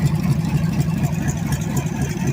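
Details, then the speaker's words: Freshly rebuilt budget Chevy 350 small block on the floor, 6 psi oil pressure: lumpy but even burble through loud open headers, with no knock or miss. Normal idle. "I apologize for the way the sound is on this. These headers are horrible, made this engine sound horrible."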